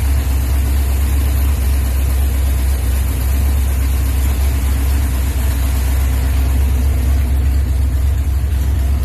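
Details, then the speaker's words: Drag-car V8 project, timing now set at 32 degrees, MSD ignition. Deep, even rumble with no misses or stumbles; the engine finally runs well. Normal running. "You guys can hear it actually finally runs. Runs good. I got the timing set at 32 degrees."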